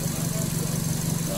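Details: Suzuki Swift with a high, erratic RPM complaint, after throttle body/ISC work and idle adjustment: smooth, even idle with a steady low hum and no stumbles, misses or hunting; idling normally.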